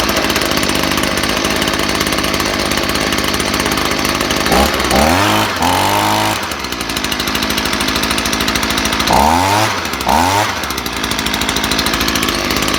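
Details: Stihl two-stroke leaf blower, previously smothered by a clogged spark arrestor, now run with the arrestor left out: a buzzy steady note with a couple of quick rev blips that drop back cleanly. Running normally.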